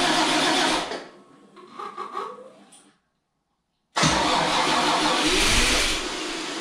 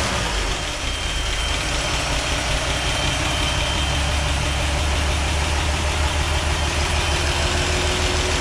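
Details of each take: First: Toyota FJ40 after full engine rebuild, first start, water in cooling system: long rough cranking dies away, then it catches and runs loud and ragged; ignition timing wrong, a vacuum hose left off makes it very rich, lifters tapping. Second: Toyota FJ40 after a full engine rebuild, first start: a steady six-cylinder idle with a smooth low rumble, running pretty good but with lifters tapping. A forgotten vacuum hose makes it run very rich; timing and lifters still need adjusting.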